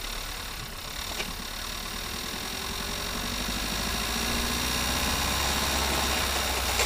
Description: unusual noise on a audi gearbox any suggestions please